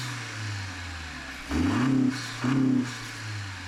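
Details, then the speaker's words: 10th-gen Honda Accord just after a new intake install with the MAP sensor transferred: start-up checking for leaks, steady idle with two clean rev blips settling back smoothly, no hiss, whistle or stumble; normal running. "All right, we'll start it. Give it a run."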